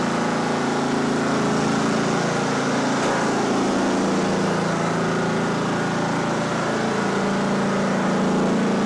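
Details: Simplicity Regent mower, 14hp Kohler Command engine, drive test: steady, even single-cylinder chug at constant speed with no misses, knocks or surging; running normally, though it had earlier stopped with the fuel line shut off.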